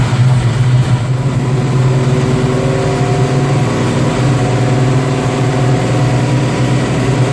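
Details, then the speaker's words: 1972 Nova with an LS1, just fitted with a Monster Level 3 clutch and AR5 transmission, running under its own power: low V8 idle with an uneven, wavering beat; it runs rough and needs a tune, with a 3-bar setup where 1-bar is needed. "It definitely is not running good. Matt Hackle's supposed to come by today and get that tuned."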